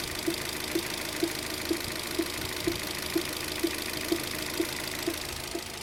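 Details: Opel Zafira B 1.8 Z18XER 140 PS engine at idle: a crisp, evenly spaced knock about twice a second rides over a steady idle, a dozen hits in six seconds; cause unknown.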